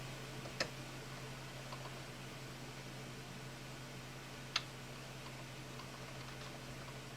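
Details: Two sharp, light clicks over a steady low hum as a fret rocker tips on a slightly high fret, sixth fret area, on a Fender Stratocaster bi-flex neck being spot-fixed for fret buzz.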